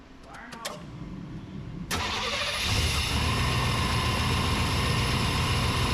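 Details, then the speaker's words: 1992 Chevy C1500 just started after new spark plug wires, camera in engine bay: starter cranks, engine catches and idles with slightly uneven low pulses; running a bit rough, left to smooth out. "we're gonna let it run here for a little bit see if it Smooths out"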